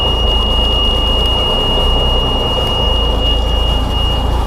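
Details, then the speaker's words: Cummins NHC 250 truck diesel just cold-started with new pre-oiler: deep steady rumble with constant high beep over it, running evenly with no knocks; oil pressure up immediately; normal cold start. "had oil pressure immediately upon starting she's cold and unhappy but she's running"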